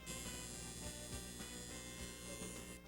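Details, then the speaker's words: Accutemp Steam n Hold steamer, thermostat set to 170 degrees. A steady electric buzz holds for about three seconds, then stops. This is the low-water buzzer that sounds with the low water light, meaning water must be added. "The indicator lights, you'll notice that there's a low water light. When that low water light comes on, you'll also hear a buzzer."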